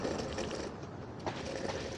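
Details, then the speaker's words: AOVO OOK-TEK V8 electric scooter (upgraded M365 Pro type, 10.4Ah battery) ridden over rough terrain: constant loose clattering and chattering with no steady rhythm as the folding mechanism rattles, made worse by the non-inflatable tyres. "at the same time all of this when you ride on the rough Terrain creates so much noise and non-inflatable bears across doesn't help with this at all"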